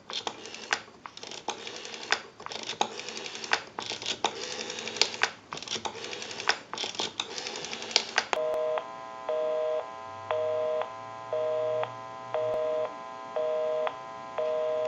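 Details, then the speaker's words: Repaired Stromberg Carlson 1543 rotary desk telephone, whose dial was cleaned, oiled and adjusted, dialing out on a real line: crisp dial-click trains, then a steady tone pulsing about once a second; dialing works and the line returns busy. "We'll call one other number. We'll call my number, and it'll be busy."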